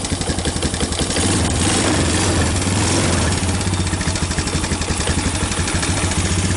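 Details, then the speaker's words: 2000 Honda Recon 250 ATV on a cold start after months in storage, with choke set and a replacement standard carburetor: a steady single-cylinder thump near four beats a second, even with no misses or knocks. A healthy idle. "months, and yeah, she fired right up. You gotta love a Honda."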